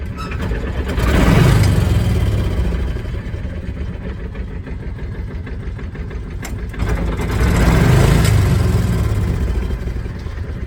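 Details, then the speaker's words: Kawasaki Mule 2510 petrol engine after fixing a throttle sticking just above idle, running on a separate boat tank; idles, revs twice, slight hesitation when cold, throttle returns cleanly to idle, problem solved. "cold it's got a little bit hesitation when it's cold I could choke it and go away but and it's returning back to idle every done problem solved"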